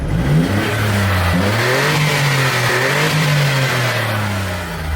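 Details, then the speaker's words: Smart Roadster Brabus Coupe with an intermittent cylinder-one misfire and a recurring engine management light: engine revs climb and fall smoothly with no stumbles; it sounds fine at the moment, as the misfire strikes randomly. "You can hear just now that the car sounds fine."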